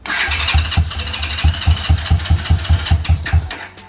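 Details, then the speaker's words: Trike's first start, no coolant in yet, just testing if it runs: catches quickly, heavy low thumps a couple per second for a few seconds before shutdown; sounds healthy. "that sound good don't know it sounds pretty healthy didn't take long for it to get going"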